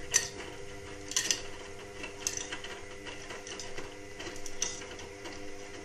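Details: Indesit WIXL143 washing machine: sharp, irregular ticks and clicks about a second apart, no motor or drum spinning. It clicks for 2-5 seconds, then nothing, and doesn't finish its cycle. Stain removal, Easy iron and door lock lights flash. Fault unknown.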